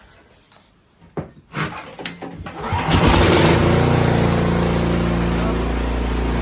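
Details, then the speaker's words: 26-inch three-stage Cub Cadet snowblower after replacing a chewed-up, narrowed drive belt that caused a terrible racket: after a few pulls it fires and runs smoothly and evenly with no racket from the auger. "and it operates just as it should"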